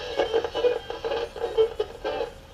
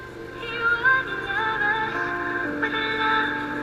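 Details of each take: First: Emerson AE-163 tube radio after recapping, 500K volume pot feeding the 6Q7: radio audio pulses and drops out unevenly as the knob turns; erratic, worn volume control wiper suspected. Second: Emerson AE-163 tube radio after recap and swapping in another tested-good 25L6 output tube to cure distorted audio: music full and steady with no crackle, hum or breakup; output stage now working properly.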